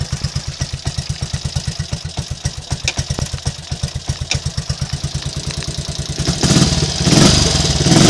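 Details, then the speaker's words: Triumph Trials Cub single after fixing previous day's misfire and stalling: even unbroken idle thump, picks up cleanly when blipped, no misfire or stalling; healthy normal running after repair. "It's all back in the land of the living now, as I'll probably demonstrate."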